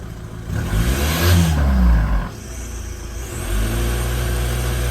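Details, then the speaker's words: VW Touran 2.0 TDI BKD PD140 after new head and new turbo: diesel revs briefly then flattens, refusing to climb past a low ceiling; limp mode, suspected vacuum issue affecting turbo actuator. "I won't let us go past there. Up there. I won't let you rev."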